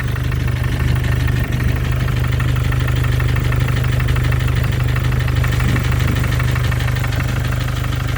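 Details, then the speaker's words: 2014 Mercedes with OM651 diesel, 300k mileage, at idle: a regular knock about three per second over the clatter, the same cold or hot, unchanged after replacing the injectors and hydraulic lifters; still driven hard to 5,000 rpm with nothing leaking; source undetermined. "Вот к-то это кто-то молотком работает, как будто стучит что-то."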